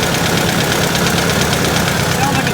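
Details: Truck engine at a steady idle with a quick, regular light ticking, roughly five or six a second; owner describes a tapping noise, no blue smoke; cause unknown.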